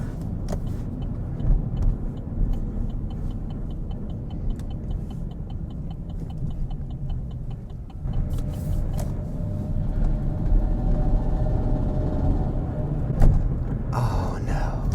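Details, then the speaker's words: Chevy Silverado automatic at about 30 mph, around 130,000 miles: revs hang and flare with no pickup or acceleration after weird downshifts; owner suspects transmission slipping, not confirmed. "no I don't know if you guys noticed that but there was like no pick up there's no acceleration"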